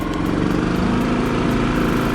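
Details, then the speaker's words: Kipor IG3000/IG3500 inverter generator after its failed inverter board was replaced with a Champion module: steady, even engine drone that throttles up and down smoothly with output restored; normal running. "throttles up really smooth it fells down no problem and most importantly it now has an output"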